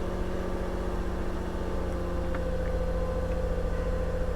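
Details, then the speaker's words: Copart salvage car with front damage, a broken headlight bracket and no working odometer, settling into a steady, even idle with a smooth low hum and no knocks or misses. It runs very well, with no check engine light. "actually runs very well no check engine light"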